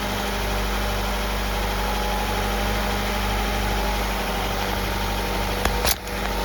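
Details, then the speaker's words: Cheap junkyard Honda Integra (B-series) just revived after fuel-system part swaps; even, steady quiet idle with smooth low hum and constant beat, no knocks, misses or smoke; alternator charging; running healthy. "This thing is quiet. I mean, check this exhaust out. This don't even sound like a Honda. Hear how quiet that is? No smoking, no nothing weird."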